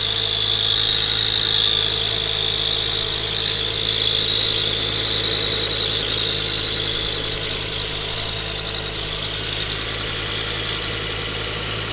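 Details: Engine idling under a loud steady hiss with a faint high whistle on a Ford Focus ST Mk2; the noise was traced to the exhaust manifold gasket bolts/manifold, an exhaust manifold leak.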